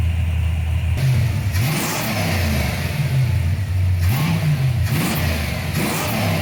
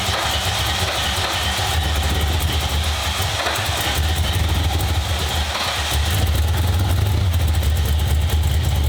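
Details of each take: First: 1995 Ford Mustang GT, Ford 302 V8, after swapping in a new manifold, rebuilt carb, fuel pump and gas tank; a loose plug was found and timing set. Deep, even burble with clean blips back to idle, no miss, running on all 8 cylinders. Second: 1995 Ford Mustang GT, 302 V8 after a carburetor, manifold and fuel pump swap: a loud, lumpy, stumbling idle at about three pulses a second. Fuel pressure above the 4–7 PSI spec is flooding the carb; a return line has been ordered.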